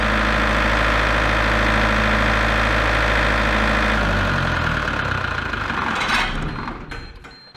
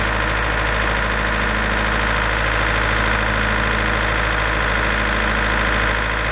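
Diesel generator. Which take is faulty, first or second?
first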